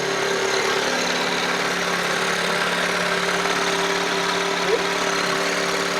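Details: Ford Lincoln Navigator 5.4 V8, previously seized engine now unseized, first start after rewiring, in neutral: smooth, steady idle with an even drone and no ticking, knocking or stumbling; running healthily.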